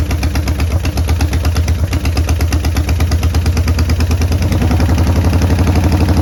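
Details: 1990 Harley-Davidson Sportster 883 restoration project, first start with no breather fitted: uneven idle with irregular pulses and stumbles, never steady; runs rough.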